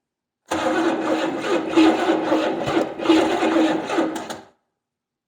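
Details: 1970 Buick Skylark with a Buick 350, spark just confirmed at the tester: about four seconds of cranking with uneven catches that never take hold; engine turns over but won't start.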